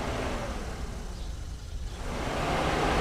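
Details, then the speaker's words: Mercedes SL500 R129, coolant fan powered directly at the removed low-speed relay socket while alternating with high speed: a soft, steady rushing whoosh that dips briefly then settles; the radiator fan runs normally on low speed and the circuit is good. "So we're going to apply power to low speed first. Fans activate. This is a very good sign. That means that circuit is alive."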